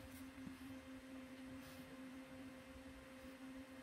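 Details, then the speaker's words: Stock CPU cooler fan on an open bench under a Cinebench R23 multicore load, CPU around 84–90°C: a steady mid-pitched hum with a faint overtone at full speed. It is loud but healthy. "and it is pretty loud actually when you put it inside a case behind temper glass you're not really going to uh hear it"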